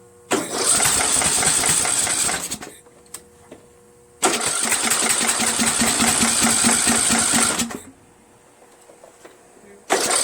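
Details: Troy-Bilt 1842 Super Bronco lawn tractor repower, Nikki copy carburetor on choke, muffler held by one bolt: three cranking bursts of about three seconds each spin the engine steadily, but it never fires. It cranks but won't start; the cause is suspected, not confirmed.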